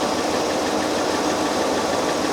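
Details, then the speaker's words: Citroën XM 3.0 24V on a Sun engine analyzer cylinder balance test, cylinder six deliberately shorted: uneven idle with a stumble, RPM dropping and hydrocarbons rising; one cylinder dead on purpose. "you can see the RPMs are dropping by six the PPM of hydrocarbons is going up by 1,00 and I can hear that the engine is missing one"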